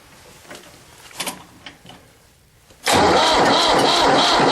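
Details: Diesel tractor cold start at 32°F, with an intake-manifold air heater and a jump starter: quiet lead-in, then the engine catches instantly at about three seconds and settles into a strong, steady diesel run; healthy cold start.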